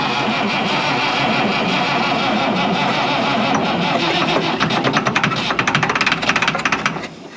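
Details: 1965 International 806 Wheatland diesel tractor, sitting since 1995, fuel lines loosened, ether given: starter churns steadily near three turns a second but never fires. Cranks but will not start.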